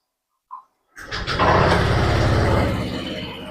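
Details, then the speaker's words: Honda Vario 125 scooter idling smoothly and evenly after the CVT was disassembled, cleaned and reassembled, with worn, non-round rollers found inside; no rattle from the belt drive, normal idle. "Suaranya tetap halus kan ini. Nah, suaranya tetap halus."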